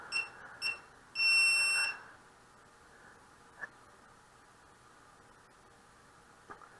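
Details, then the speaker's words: Hubsan H122D X4 Storm quadcopter three-way binding of transmitter, quad and FPV monitor for telemetry; two quick high chirps then a steady beep of about a second in a quiet room: normal binding confirmation beeps. "those two are talking to each other seem to enjoy each other's company"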